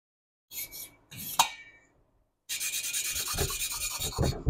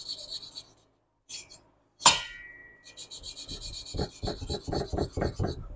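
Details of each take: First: Hand-lapping valves on a 1976 Porsche 912E Type 4 2.0 cylinder head: loud gritty rasping from back-and-forth strokes, seat not yet mated. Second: 1976 Porsche 912E Type 4 2.0 cylinder head valve being hand-lapped: soft, even rasping strokes growing quieter with no tonal change, showing the valve is properly seated.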